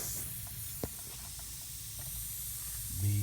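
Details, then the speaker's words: HVAC condenser not running, gauges flat: quiet steady high hiss of nitrogen escaping under pressure from a pinhole in the refrigerant line, rubbed through by a taped compressor run wire lying against it; refrigerant leak, no motor running. "yall can probably hear the nitrogen and right there nice pin hole caused"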